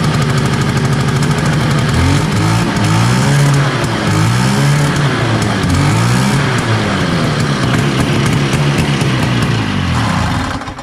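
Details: 1970 Herter's Husky 440cc Sachs twin-cylinder two-stroke snowmobile after cleaning plugs and refitting flywheel: loud, ragged run with wandering pitch and uneven beat, one cylinder dropping out; weak, intermittent spark on one side, points/condenser/coil suspected.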